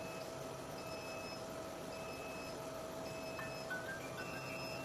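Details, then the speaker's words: 200W jewelry laser welding machine chiller refilling with pure/distilled water: repeating high beep about once per second over steady hum; low water level alarm that stops when tank is full. "水 位 不 够 就 会 一 直 报 警。 水 位 够 了。 Alarming stops when fully is full."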